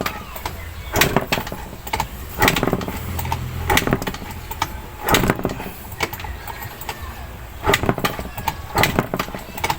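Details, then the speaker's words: 2019 Yamaha Mio Sporty 115 scooter, first start after an engine oil and gear oil change: uneven bursts of cranking with brief catches that keep dying out, a long hard start before it finally runs. "Matagal pa andarin. Matagal pa din mga inyans."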